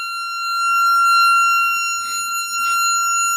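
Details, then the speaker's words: Jensen V21 upper (organ) driver on a bench test with a tone generator at turned-up volume: loud, steady high test tone with a harsh, buzzy edge and brief rattly bursts. The rattle changes as the frequency is changed. "you think we need to hear that is it is rattling [Music] that's why I said check that's why I said you turned it up all right turn that volume up and see what happens a little bit so we get some rattling"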